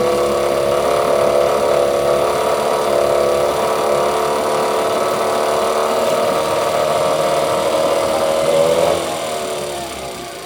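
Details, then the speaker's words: Yamaha 8C outboard bought at auction in Japan, first start right after unpacking with nothing done to it: even idle buzz pulsing about four times a second, steady tone, no crank knocks; bearings quiet, compression later found good. "вот честно сразу подключили бензин и запустили он завёлся подшипники не шумят"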